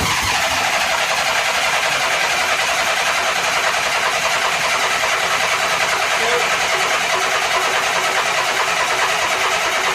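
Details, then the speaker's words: 1983 Honda GL1100 Aspencade Gold Wing after carburetor rebuild, throttle and choke cables not hooked up: fast, steady starter whir with no firing while fuel fills the empty carbs. "so we're just going to crank it till we get fuel in there"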